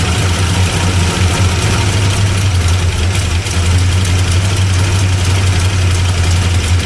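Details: 1975 Plymouth Roadrunner that sat 20 years, running on battery only after a possibly flooded start: a low, lumpy, stumbling idle with an uneven pulse. It sounds lean; the cause is not confirmed.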